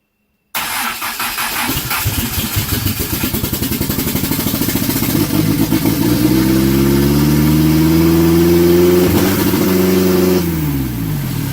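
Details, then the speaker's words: Mitsubishi Conquest turbo build, after flipping exhaust back to wastegate and charging the battery: quick cranking chugs, catches, and revs climb to a fast idle that stays high; idle and throttle believed not yet set. "It's still too high, but it revved up because when it kicked that's when I stepped on it. Oh. Okay, yeah. I think it's just your idle."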